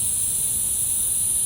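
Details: Shop air compressor just serviced and run after a belt check, with water suspected in the tank: constant sharp high-pitched hiss over a quiet low hum, steady without pulsing; compressed air escaping from a leaking joint.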